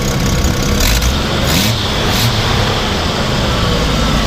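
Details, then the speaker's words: 1983 Jeep CJ5 with AMC engine and four-speed, radiator and brakes flushed and oil changed, revved after starting: a steady, rough-edged engine note with a few quick throttle blips, even and unbroken, running cleanly with no issues. "really sounds great and really haven't had any issues with it"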